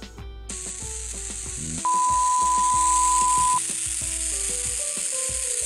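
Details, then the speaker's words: Nintendo 3DS that won't charge, after a chip replacement: a steady high TV-static hiss sits under the game tones the whole time, never fading; speaker static hiss, source still not found. "if anyone does know what the hell is making it make that Garling TV static sound let me know in the comments down below"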